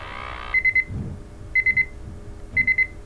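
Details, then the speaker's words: MultiRAE gas detector sample pump check with inlet plugged: bursts of three sharp high beeps about once a second, the flow-blocked pump alarm, confirming the pump draws properly. "and that's what we get so that means that uh we plugged off the sample flow and the alarm comes up"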